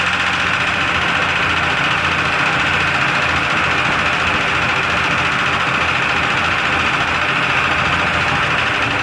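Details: 2002 Jeep Grand Cherokee Laredo idling after an oil top-up: a light, uneven tick of about three or four per second runs through a loud idle and persists despite the added oil. The source of the knock/tick is still unidentified.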